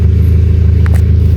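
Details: Kia Picanto idling after ECU repair of a shorted injector 2 driver IC that had caused misfire and white smoke: smooth, even low idle rumble with a regular beat and no stumble or miss; healthy idle.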